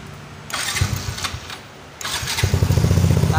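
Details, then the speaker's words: Yamaha Fino 125 / Mio M3 started with the throttle position sensor unplugged: starter whirs briefly, engine catches into a quick putter; stumbles when throttled, lost ignition traced to a faulty TPS. "motornya hidup jadi masalahnya tuh kalau kita copot si soketnya ini pun gak ada masalah cuman motor kita gas tuh brebet nggak mau"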